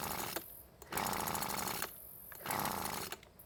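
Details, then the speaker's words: Weed Eater leaf blower that won't start even after carb servicing, new fuel lines and fuel filter: short buzzing bursts on each rope pull that sputter and die. "so as you can see and hear it's not wanting to start but at least it's trying to which is better than nothing I guess"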